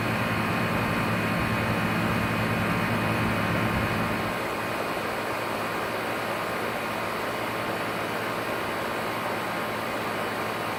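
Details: Outdoor AC compressor running: constant rough rushing drone with a gritty, regular churn under the fan noise; grinding noise, cause unclear.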